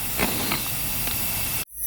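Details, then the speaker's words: Pre-dyno-tune boost leak test with compressor air: steady airy hiss of pressurised air escaping up top, then it cuts off abruptly; a leaking intake gasket, replaced with a newly made gasket. "but I hear one up here now is that just the the freaking thing down there yeah we got one right there is that the only one there well let's go ahead and tackle this one now"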